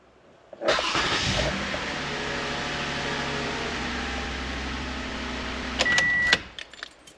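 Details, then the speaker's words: 2015 Toyota Sienna engine starting right after a new battery was installed: a quick crank catches at once and settles into a smooth, even idle with no stumble or dragging starter; smoothest start in about three months, normal engine start. "beautiful this is the smoothest engine start I've had in this vehicle in the last maybe 3 months or so"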